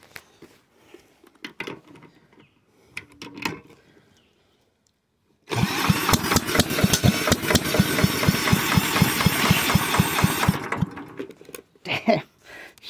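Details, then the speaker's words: Villiers Mark 10 side-valve engine, not run properly in 30–40 years, ignition just fixed, found behind a shed: catches with uneven popping about twice a second for five seconds then dies; owner suspects fuel starvation. "i feel like it's being starved to fuel at the moment i should just leave the cap off shouldn't i"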